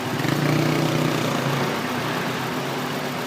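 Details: 2003 Honda Accord with K20 engine, misfire on cylinder 3, injector suspected: lumpy, uneven idle with an irregular stumbling pulse about three times a second; engine misfiring at idle.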